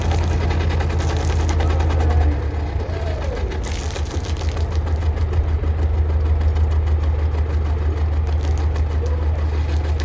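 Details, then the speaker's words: Perkins AA35001 marine diesel in steel-hull sailboat SY Carla, first start after almost a year laid up and winterized, fuel pump primed: deep, steady, even idle with no misses, knocks or hunting; cooling water flowing, some smoke; normal healthy idle. "it's like he's never done anything else perfect Mr Perkins is living"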